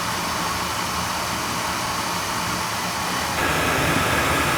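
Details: Oil burner with tankless coil and outside chimney, limits set at 180, fired during annual service to check draft over the fire: steady roar that grows stronger after three seconds, then holds smooth; firing cleanly.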